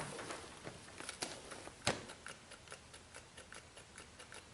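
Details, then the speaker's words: Case 580C backhoe, battery 12.1 V and probably weak, no jump pack: key on gives only faint uneven ticking, no cranking; starter not engaging, starter suspected, cause unclear. "uhoh no nothing that ain't good well she has 12.1 volts so I'm not sure what's going on"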